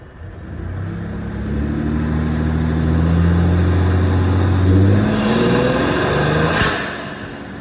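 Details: 2020 Ford F-150 EcoBoost with aftermarket intake, phone microphone zipped under the hood while driving, comparing with vs without turbo silencers; note climbs steadily through gears with smooth intake rush on boost, no flutter or whistle, healthy turbo intake.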